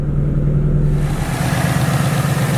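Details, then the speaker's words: Wrecked S550 Mustang, first brief run during rebuild with no coolant system and straight pipes, no mufflers: steady even engine note with a smooth light throttle blip, nice and quiet, no knocks or ticks; healthy. "looks alright, everything sounds good, nice and quiet, just like you want. Sounds pretty good."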